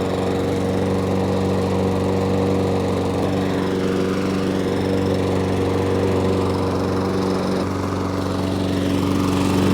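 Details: Lawn mower with an Amazon replacement carburetor fitted with Briggs carburetor parts: a steady, even single-cylinder hum at one speed with no surging or hunting. Normal running after the fix.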